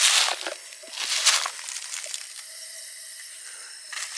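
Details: Well pump and water heater system slowly losing pressure with air in the lines: steady high-pitched hiss with soft irregular spatters; water escaping from a popped relief valve, possibly after freezing.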